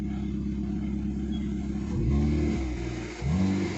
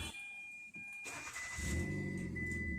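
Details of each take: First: Hyundai i10 Grand push-button start, after ECM repair for intermittent start/no-start and shutting off: engine catches cleanly on one press, two smooth rev blips settle evenly, no misfire or knock; running healthy. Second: Hyundai i10 Grand, push-button start, intermittent start/no start: chime, engine fires and RPM needle rises, then it shuts off; check engine and security lights behave abnormally, immobilizer-type cut suspected.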